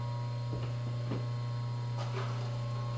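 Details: Three-phase motor started on single-phase power without a converter, the switch doing the starting: steady low hum with constant pitch and a few faint ticks, running smoothly and evenly.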